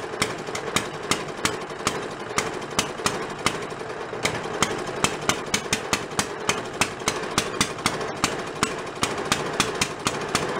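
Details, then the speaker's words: Antique Briggs small engine after carb and gas tank work: single cylinder popping at a steady two-per-second beat with a wet uneven note; carb visibly soaking over, unable to hold fuel level, rich running from flooding carburetor. "Not being able to have just enough fuel to do what it needs to do. Runs up. I can see it's soaking over right now."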